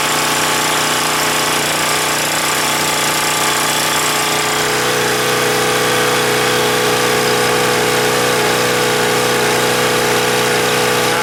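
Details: Husky 1850W generator, Mikuni T3044 carburetor converted to natural gas after failed cleanings: steady even beat at constant speed, no surging or misses; runs better than on gasoline; normal running on natural gas.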